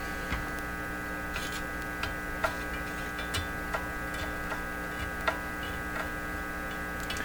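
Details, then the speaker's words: General Electric C600 tube radio at first power-up on about 116 V mains, before replacing its old capacitors: steady low hum that varies with the volume control, with occasional faint crackles and pops. Hum with light crackling, nothing serious. "I don't have any crazy hum that's a good sign let's hear it I hear a little crackling you can say there is a there's a hum but it's on the volume control"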